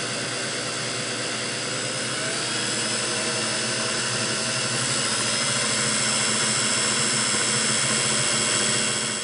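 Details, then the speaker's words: Singer Model 404 sewing machine after degreasing and fresh oil and grease, in sewing mode sped up: fast, even whirring with quick regular ticking, no clatter or grinding; normal running. "now that sounds great just speed it up a"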